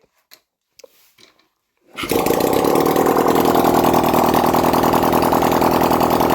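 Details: 1971 Honda CD175 K3 twin during restoration, first start: quiet, then catches at about two seconds and settles into an even, steady beat of around 200 pulses a minute, running normally.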